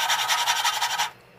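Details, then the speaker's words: Lapping valves on a Tecumseh flathead engine with a larger suction cup: about a second of rough gritty rasping in a steady rubbing rhythm, still grinding a lot on the seat, not yet lapped quiet. "Just want to pick it up, move it around a little bit, and keep going until it gets nice and quiet. You'll probably hear the difference. So, right now, we're grinding a lot."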